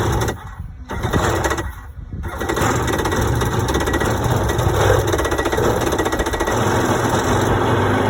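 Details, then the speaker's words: 1992 Yamaha WaveRunner two-stroke, unrun for years, just started on choke: uneven popping buzz with irregular surging and dropouts; runs a bit weird, attributed to old gas. "so it does start stored pretty well actually that was easy sounds like a little bit weird for now but that's normal it's old gas and it hasn't run for years"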